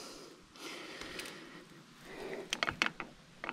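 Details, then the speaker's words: Poseidon Norton bike with an aluminum frame, ridden after significant upgrades: fairly quiet riding, then sharp dry creaks and ticks up front. Rider suspects the headset, with noise carrying through the frame, and plans to re-tighten it; not confirmed. "oh I think it's the headset this thing with aluminum is it uh reverberates through the whole frame so even though it the noise is coming from here it works through the headset or through the frame and it sounds like it's coming from somewhere"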